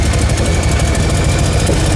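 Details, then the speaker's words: 2JZ-swapped Nissan 240SX at first start, running as if on only about three cylinders: heavy, stumbling low rumble with an uneven beat; misfire. "Alright, so Trevor's got the timing light out since it seems like it's only running on like 3 cylinders or so."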